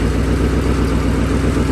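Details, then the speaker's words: 2008 Ford Mustang GT (S197) with a replacement engine from a donor car with 75,000 miles, just installed: a deep, steady V8 idle with an even low burble and no knocks or ticks. It sounds healthy, unlike the old engine. "see sounds perfect that sounds definitely not not too bad as the last one"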